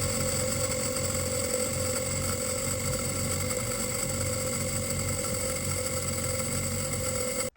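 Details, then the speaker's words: Mini 7 S on the dyno, brand-new converted and jetted carb, ignition timing being set, previously hard to start and idling fast: now holds a steady, even note with no stumbling or hunting after carb was stripped and refitted, much improved. "Right, so whatever I managed to do to that carburetor has helped quite considerably, and I have no real clue what it is."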